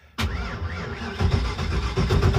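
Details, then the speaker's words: Carbureted car cranked on a weak jump pack: slow, labored uneven cranking that never catches; turns too slowly to draw fuel, carburetor completely dry. "Now, the jump pack can't turn it over fast enough to draw any fuel. The carburetor is completely dry."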